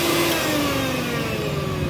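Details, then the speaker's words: Mixer grinder after replacing the bush: steady high-pitched whir with even pitch, no rattle or scraping; motor running smoothly after repair. "तो grinder का boost हमने बदल दिया और बदलने के बाद इसका आवाज कैसे हो गया अभी सुन लीजिए आप लोग"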